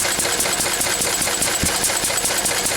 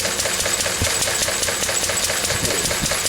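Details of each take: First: Lister D single-cylinder diesel, run after a few days sitting, a screw adjusted, owner thinks around 700 rpm; crisp, evenly spaced clatter at steady speed, no stumbles or hunting; running quite well. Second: Lister D single-cylinder stationary engine, about May 1951: steady sharp knocks around 146 a minute with uneven missing from a lean mixture, before the mixture was adjusted.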